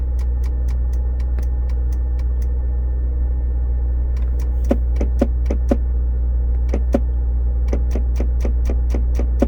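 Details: 2002 Discovery S2 SE at idle: rapid groups of sharp clicks from the under-dash fusebox, only at morning start-up, going away after a few minutes; louder when the shift lock engages, and the shifter lights blink in sync; relay chatter suspected.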